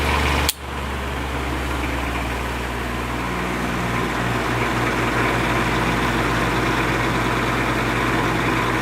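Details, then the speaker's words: 1950s Patton 18-inch High Velocity fan, 3.2 A GE shaded-pole single-bearing motor, hot, slowing, drawing normal current: sharp click, then strained low hum and uneven buzz as the motor drags; the bearing is seized, and the owner wonders if the oil is too thin. "it is slowing down as we speak it's not drawing any more current than it's supposed to"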